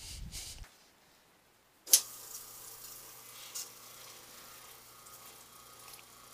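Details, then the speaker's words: Single-phase motor wired with a start capacitor across the start winding and clamped down: a click at switch-on, then a quiet, steady, low hum with no knocks or scraping. It starts and runs normally. "that's it you got a running motor here"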